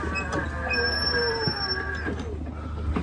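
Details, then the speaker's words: Ryobi RM480E electric riding mower, nearly five years old, rolling quickly downhill. A thin, steady high squeak rides over an otherwise quiet drive hum; it persists despite the owner's several attempted fixes, and the cause is unconfirmed. Steering squeak. "you can see it is quite quick but that squeak i can't make it go away i've tried a number of different things and no matter what i try it's still there"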